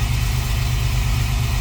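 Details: 2004 Astro van 4.3 V6 Vortec with newly installed aluminum distributor, new cap and rotor: deep, steady idle with an even firing rhythm and no misfire or tapping; runs smoothly, earlier clicking suspected to be the coil.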